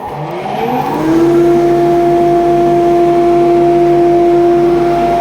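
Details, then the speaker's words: Modified grinding-room dust extraction unit, newly ducted to every belt grinder through two gated pipe runs: the motor spins up over a second, then holds a clean, steady tone with even airflow rush, running smoothly with good suction. "good all right that's enough of that it's very noisy"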